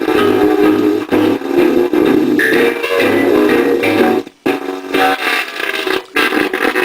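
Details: Webcor Musicale Model 333 playing a 78 with stylus rotated to the 78 position: warbly, harsh, distorted music with crackle and dropouts; owner suspects the replacement 78 stylus is defective or the wrong one, not confirmed.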